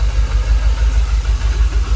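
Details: Jaguar XKR idling about 800 rpm, fuel pressure holding 45 psi: low, even idle pulse with steady rhythm, no stumbling or rocking; engine calmed down and much smoother; normal idle, no warning lights.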